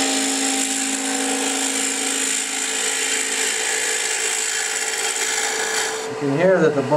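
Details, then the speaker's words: Wood-turning a bowl-shaped cigar ash tray, hollowing deeper: an even, high cutting scrape with a ringing hum underneath as the tool bites. The thinning wall is starting to vibrate. "that the bowl is starting to get a bit thinner because you can hear the vibration."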